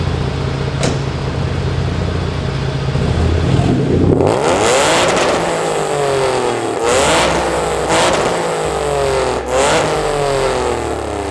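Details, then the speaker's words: Hyundai Genesis with aftermarket headers, before H-pipe install, recorded in a garage: throttle blips echo, each climb buzzy and raspy with some rattling; exhaust rasp from headers, owner hopes H-pipe will cure it. "i will be installing some clips of how it sounds with the rasp and you can hear it"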